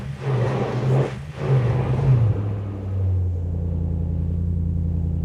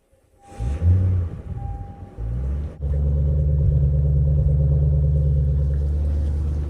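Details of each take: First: Lexus GS400 with 372,000 miles, after a timing belt job and an oil additive treatment: throttle blips, then a smooth low idle with no tick or knock; the earlier internal engine noise is gone; normal idle. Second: Lexus GS400 V8 with 372,000 miles, started after fuel pump priming: engine catches and settles into a low, uneven rumble, not running on all eight cylinders; misfire from a massive fuel leak at the last cylinder's injector.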